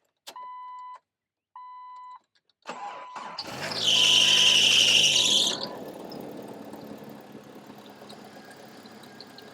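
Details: 2000 Jeep Wrangler 2.5L four-cylinder, first cold start after replacing the cracked cylinder head (burnt valve), started from outside the vehicle. Two chimes, a brief crank, then it catches, flares up and settles into a smooth, even idle.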